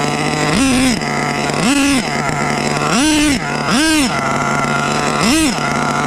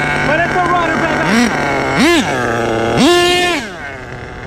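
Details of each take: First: HPI Savage 21 with rebuilt Dynamite 28 nitro engine on a cold day, idle set a bit high: keeps surging to a high buzzing scream in bursts instead of settling back; radio lost signal; engine runaway. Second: HPI Savage 21 nitro RC truck with rebuilt Dynamite .28 engine: crisp idle, then clean rising revs three times settling back without stumbling; a good runner, normal running.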